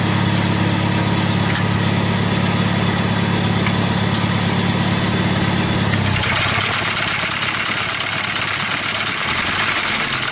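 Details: 1955 Farmall (International) Cub tractor, 3-speed, sat all winter in shed: starts, idles nicely with good oil pressure and no blow-by; steady even low engine beat, no knocks or misses, then louder sickle bar implement clatter; normal running.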